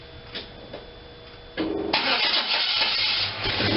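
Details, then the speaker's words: Engine first started after fitting the gas tank: slow cranking clicks, then it catches into an uneven, surging run that never settles to a smooth idle; owner suspects it is still choking with the choke on. "i want to hear it level out and idle i think it's still choking and chokes on"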